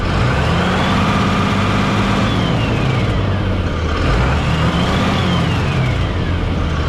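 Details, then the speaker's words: Ram diesel pickup on a hotshot trucking run, revved to about 2,000 rpm twice, gives a tinny tin-can metallic rattle on the rising note; source unconfirmed, and the dealer later checked the turbo and found it fine. "So, anytime I rev up my RPMs to 2,00, it has that little tin can rattle, but I'll let you guys hear it."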